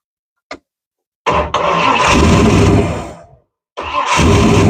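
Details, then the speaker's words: 1935 Ford deluxe with a 302 Boss V8, first start after sitting for decades, mechanical fuel pump: a click, then it fires promptly into a deep, strong, even idle, cuts off and restarts cleanly; started easier than expected. "Man, that started a lot easier than I was expecting it to considering."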